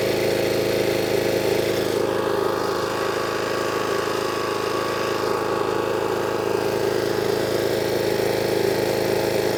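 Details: Power washer engine, water on and new lance fitted, previously would only run on choke: smooth constant mid-pitched drone holding speed without hunting or stumbling; now running cleanly off choke, healthy.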